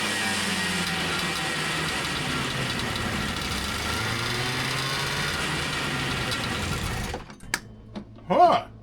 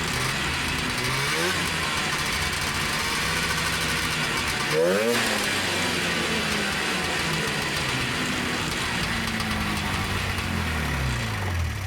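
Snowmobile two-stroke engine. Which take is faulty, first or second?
first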